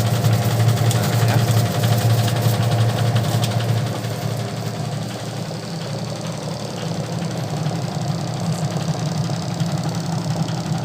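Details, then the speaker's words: Sharp single-tub automatic washing machine converted to manual timer, after rewiring: steady low motor hum with a quick even rattle settling as the tub spins up; everything now works, normal spin. "sekarang udah berfungsi semuanya teman-temannya jadi berhasil ya perakitan kita ya"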